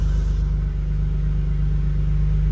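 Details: Ford BA Falcon drift car after swap to green top Barra inline-six (new welsh plugs, cleaned sump, 25% underdrive pulley), oil pressure 60, first run: deep even rumble, no knocks or ticks, sounds good.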